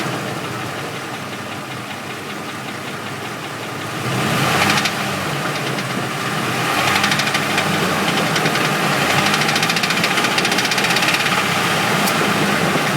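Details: Ford at idle: steady knock at about three or four per second with no change in pace, traced to a bent flexplate.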